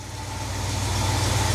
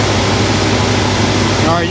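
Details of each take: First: 1971 Cadillac DeVille 472 V8 on its first start with a freshly restored Quadrajet carburettor. A low, slow, slightly uneven rumble rising over two seconds because the fast idle is set too low; the owner suspects the shaky idle is internal to the engine. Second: 1971 Cadillac DeVille 472 V8 with the rebuilt Quadrajet, after a slight high-idle adjustment and reconnecting the vacuum advance: a steady, even rumble at a slightly raised speed. The vacuum advance kicks in and the idle is smooth, as it should be.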